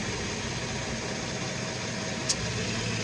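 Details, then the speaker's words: Nissan Xterra at idle with AC on: a steady hum, then a sharp click as the compressor clutch engages when the compressor wire is touched directly (test light green), showing the compressor itself is good. "Okay, so right there the light is green, so I'm gonna push forward and you hear the AC compressor comes on,"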